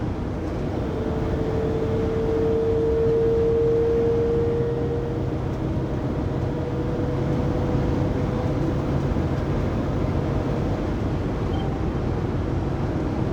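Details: 2019 Sprinter 3500XD-based 2020 Pleasure Way Plateau FL at 80-90 km/h, recorded on a phone after the driveshaft and differential were replaced. A clear steady whine stands out over road rumble, then fades. Drivetrain whine, source unknown.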